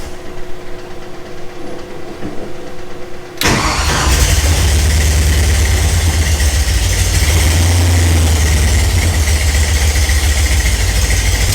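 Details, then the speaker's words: Ford Ranchero with Mustang 5.0 V8 swap, first start: brief crank, then catches into loud, uneven, wandering low idle; runs but still untuned with timing not yet set. "now I mean as you can see it's running we still got to tune it we still got to do the timing"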